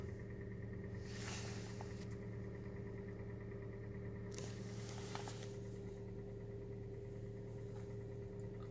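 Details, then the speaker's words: Hyundai Solaris 1.4 L, 22,900 km, 5W-30 oil, cold start after night outside at 11°C: quiet idle near 1100 rpm with faint regular light knock, present from 1000 to 2500 rpm during warm-up; cause unconfirmed. "надеюсь вам слышен стук он салоне ощущается отлично эти обороты то есть вот в этом диапазоне оборотов где то от 1000 до до двух двух с половиной есть стук при прогреве"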